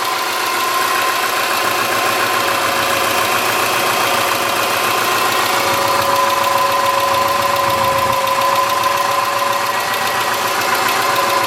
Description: Our '03 Forester, 178k miles, ~150 miles after a head repair due to a dropped valve guide, cold start-up and ticking noise from driver-side of engine.